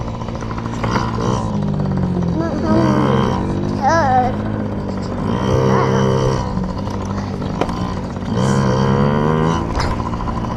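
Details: Yamaha PW50 two-stroke, just after carburetor cleaned (jets, float checked) to cure bogging and dying at wide open; warmed up, being run dry: rings up cleanly through several revs, drops back without bogging or dying; carburetor running right.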